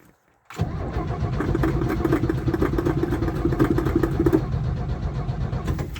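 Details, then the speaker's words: 1967 GMC panel truck, not fired in years: the starter churns at about four beats a second for several seconds, but the engine never catches. No fuel is reaching the carburetor, and the owner plans to pour fuel down the carb. Cranks but no start, fuel starvation. "No, I think we're gonna have to give her a drink. Okay. I mean, I can't really blame it, I suppose. But normally this thing would just fire right up on its own."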